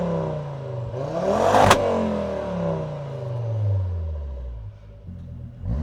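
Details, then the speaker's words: 1999 Volvo T5 2.3 turbo five-cylinder, revived after sitting, no leaks: clean rev sweeps rising and falling smoothly with a raspy five-cylinder note, no knocks or misfires; a healthy engine. "I'm not gonna lie, I probably think this is probably the best sounding car ever."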